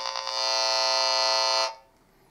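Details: Wall dimmer switch checked with a tracer amplifier noise probe: harsh steady high buzz for about a second and a half, then cuts off; electrical noise from the dimmer switch.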